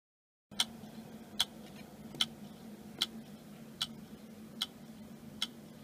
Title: Hard Drive Click of Death - "Is Your Hard Drive Making A Clicking Noise ?" - Data Recovery